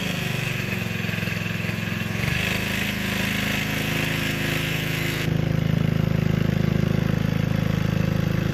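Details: Gilson rear tine tiller after recoil cleaning, fuel seeping at tank/carburetor seam: single-cylinder engine chugging at even beat, steadying as load comes on, no misses or knocks; running healthy.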